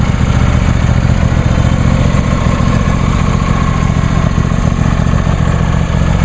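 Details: New John Deere D130 lawn tractor idling after start; a steady, even low thrum with no misses, knocks or rattles, healthy.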